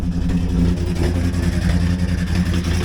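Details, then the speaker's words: 2007 Jeep Wrangler JK Unlimited Rubicon V8, first start after about a year sitting: loud deep uneven lope about 90 per minute with irregular, non-rhythmic thumps from below; owner suspects rod knock, cause not found. "Yeah, something sounds really bad down here. I don't know if that's rod knock or what it is. It's not very rhythmic, but"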